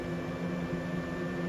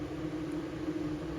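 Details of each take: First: Old 3-speed Fan-Tastic roof vent fan in a trailer, on its highest speed before being replaced with a MaxxFan Deluxe: a loud steady rush of air over a low hum and faint buzz, shaking the roof slightly. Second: MaxxFan Deluxe 10-speed roof vent fan, exhaust (air out) mode, starting at 10% speed: steady even whoosh with smooth motor hum, no rubbing or ticking; nearly inaudible at low speed, normal fan operation.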